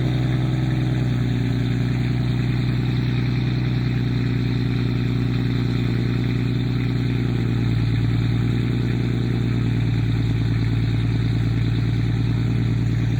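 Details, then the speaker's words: Toyota non-VVTi 1JZ six, 300,000-mile chassis, fuel pump possibly a 340, with return line: deep, smooth six-cylinder burble holding steady idle, no misfires or ticking; healthy idle. "You can't tell me this car doesn't look dope and sound good as fuck. That's another reason that's annoying, is like, I love what this motor sounds like."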